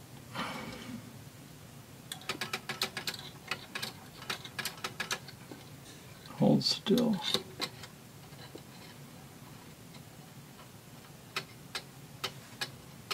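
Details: Antique Seikosha wall clock after movement reassembly, crutch wire being bent to set the beat: soft ticks at fairly even spacing once the handling noise settles. The clock is in beat or very close to it.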